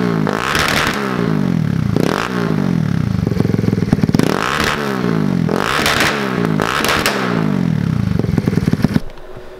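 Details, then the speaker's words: Fuel-injected Kawasaki KLX110 with new race head and Rocket exhaust, warming up: crisp single-cylinder blips about every two seconds, clean pickup, even return, no knocks or rattles; normal idle and revving. "it sounds sick sounds really good i'm pumped"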